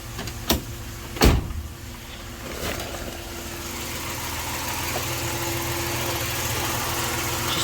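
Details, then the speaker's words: 1990 Dodge Grand Caravan LE, first start after sitting, no instrument cluster connected: after door clunks and fuel pump, engine sputters to life then settles into smooth, even idle with no knocks; running healthy. "there she goes and she's alive I couldn't tell you what's going on here because there's no cluster hooked up but it's alive and it sounds good kind of spotter to life but hey it's alive"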